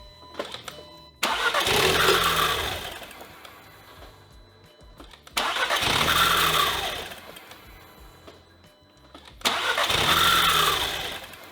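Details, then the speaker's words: 2015 Audi TTS rollover salvage with deployed airbags: engine cranks, catches and revs briefly, then dies within seconds, three times; owner suspects something, possibly airbag deployment, shuts it off. "We obviously have some sort of issue preventing it from running, but it starts. It started 5 times, in fact."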